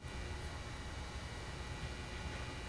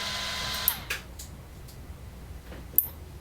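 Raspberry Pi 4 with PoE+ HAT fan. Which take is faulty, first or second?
second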